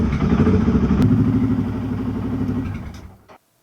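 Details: BMW F650GS single-cylinder idling after oil tank/air box bolt replacement and coolant refill, warming to operating temperature before level check; even, steady thump with no knocks or misses, then clean shutdown. Owner separately reports stalling after 20-30 minutes at about 60mph.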